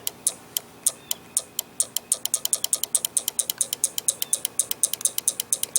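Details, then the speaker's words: 1982 Camaro horn relay bench-tested with a light bulb and battery, terminal B grounded: crisp repeated clicks with no buzz or chatter as the bulb lights; relay switching normally. "I've got the relay hooked up to a light bulb here into a battery and if I go over here and ground terminal B you can hear it click light goes"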